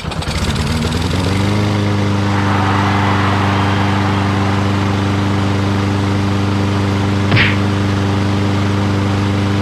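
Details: Lawn-Boy RWD mower, previously water-flooded, first start after carburetor bowl cleaned and refueled: catches on first pull, rises quickly and settles into a steady, even idle with no misses or knocks; runs healthy.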